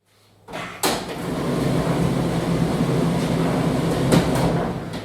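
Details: Hotpoint/Indesit tumble dryer after fitting a new door pin to cure buzzing on start: a door thud, then an even tumbling rumble with no buzz, so it runs normally after the repair.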